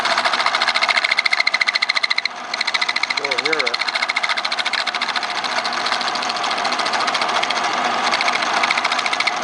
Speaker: That's the sound you get when you got a piece that moves under the tool. And frankly, my old machine here has a problem. It needs a new sheave where the spindle is attached to the driving mechanism.